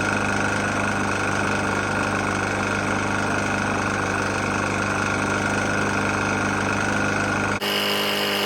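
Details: Murray E450 mower with a Briggs & Stratton single-cylinder engine, found nearly out of oil and topped off, idles steadily with a hard, nasty knock on every firing stroke. Cause not pinned down.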